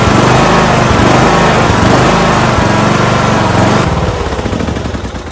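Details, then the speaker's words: Kohler Courage 19HP single-cylinder engine on a Husqvarna lawn tractor hunts and surges at idle, speed sagging and note thinning unevenly; carburetor suspected, to be removed and inspected. "it hunts at idle I have to take the carburetor apart see what's wrong with it I'll show you what it does"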